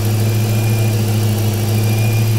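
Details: Chrysler 300C with JS aftermarket alternator, belt one inch shorter (81.2 in) and big-three wiring and ground upgrades, voltage about 14.1–14.2 V: steady high whistle at one pitch over a smooth idle from the alternator; whine persists after the fixes.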